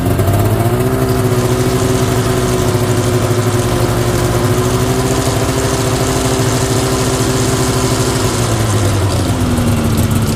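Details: 1992 Yamaha Venture XL VT-480S snowmobile after maintenance, new plugs and carburettor adjustment, cold start after a week with choke and throttle: catches and settles into an even, steady healthy idle with one small throttle lift.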